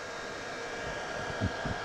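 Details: Bench-tested HP Z440 workstation board (Xeon E5-2686 at 3.1 GHz, 32 GB RAM, R9 280 graphics) without front and rear case fans connected; loud steady roar with high whistle, fans running flat out, owner suspects missing chassis fans.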